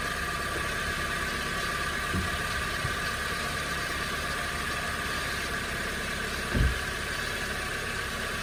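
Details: 2015 Honda Civic idling after an oil and filter change: steady, even idle with a smooth low hum and no knocks or misses; engine running normally.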